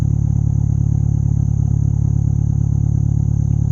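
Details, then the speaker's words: Turbo Honda after oil leak fix: steady, even idle with smooth regular beat, not missing a beat, no stumbles; normal idle. "I mean, it ain't missing a beat, man. Like, it's idling beautifully."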